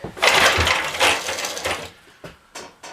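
Rough pull-start bursts with a few uneven puffs that almost catch, then quick short pulls; it's trying to fire but won't run yet.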